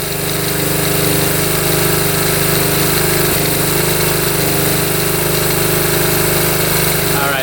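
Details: 1972 Honda CT70 single, bought at auction with a bogging problem, idles smooth and even then picks up cleanly on a blip, after timing was set with a timing light, F mark centred: normal idle and rev.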